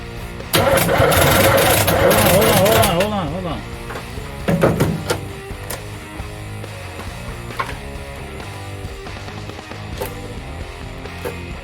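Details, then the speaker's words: Camaro small-block Chevy, first start attempt with a very dead battery; plug wires routed the wrong direction around the distributor cap, Ford-style. A brief, labouring crank with uneven beats that never fires: crank no start from wrong firing order. "I figured out my mistake here. I had routed the wires going the wrong direction around the distributor cap like a Ford. But this is not a Ford."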